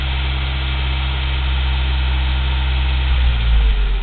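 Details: 1987 Toyota 4Runner 22RE after refitting the original ECU: steady low idle with an occasional stumble and uneven beat heard in the exhaust, slight RPM fluctuation; intermittent misfire, cause unknown.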